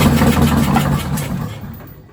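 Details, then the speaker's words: Detroit 6V92TA diesel for a 1959 Plymouth Belvedere, cranked only to check oil pressure: a heavy, deep diesel bark bursts out, then runs down and fades within two seconds; engine fired briefly on residual fuel. "that thing started right up i was expecting to uh just crank it over and see if we had oil pressure and things started right up two turns unbelievable"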